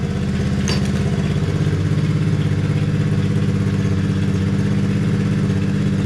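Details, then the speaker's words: Small single after idle adjustment lowered: settles into an even, steady idle with smooth low thump, no misses or clatter, slight creep remaining; normal idle. "Got the touch on that joint, y'all. Sound good. It creep a little bit, but let's see."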